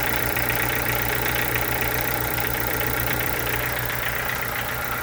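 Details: Chevrolet Corsa sedan with Montana front: steady idle with regular tapping about two beats a second over engine hum; owner asks what the engine noise could be, source unclear.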